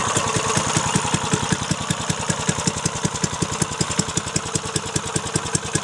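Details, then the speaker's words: Briggs & Stratton 3.5 HP single, little used, after cleanup and carburettor fix, started with ether: crisp, even, steady beat at about two and a half firings a second, smoked a bit at start; normal idle. "she runs awesome beautiful now that's going to go into a little minibike"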